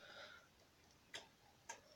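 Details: Renault N 72 tractor, in the cab before starting: a few crisp, sharp clicks as the turn signal flasher relay ticks normally with the indicators switched on.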